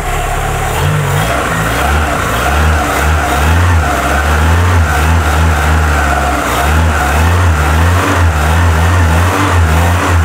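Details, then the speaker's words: Cold engine restarted after coolant bleed, idle being adjusted, compression reported good: low lumpy rumble with throttle blips and steady hiss of much gas escaping the breather, cause unknown; crankcase blow-by, possible overtight belt noise also noted. "il ya beaucoup d'aires qui ressort ici par le reniflard mais c'est pas bien chaud"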